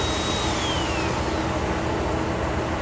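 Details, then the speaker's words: Vanair Air-Arc compressor on 2015 Ford F-550 service crane truck (6.7 Power Stroke), about 7 hours on compressor: steady even drone with constant hiss, no knocking or rattles; running normally and building air. "and that is working. Builds up air."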